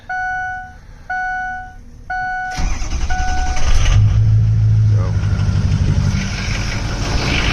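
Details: Ford Super Duty F250 6.0 Powerstroke diesel started after quick radiator swap, coolant mostly distilled water: three chimes, then cranks, fires and settles into steady even idle with firm low rumble; runs healthy.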